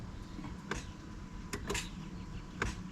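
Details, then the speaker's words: 2015 Honda CR-V AWD Touring with push-button start: a few single sharp clicks at each press, no cranking, in a quiet cabin; several tries needed before it starts; starter not engaging, starter later replaced. "I can hear it click but it doesn't start every time it does the same thing"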